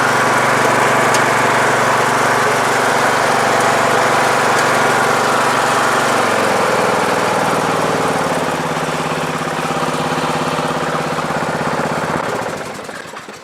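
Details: Troy-Bilt Super Bronco lawn tractor, Intek 17.5/20 HP engine, after carburetor replacement (ran badly): steady even thrum at constant speed with no misses or surging, then winds down at shutoff; running properly.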